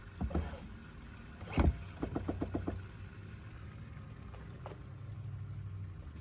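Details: 2017 Chevy Bolt, quick run of about six sharp repetitive clicks from the brake booster after pressing and releasing the brake in a quiet car; noticed upon delivery, within warranty.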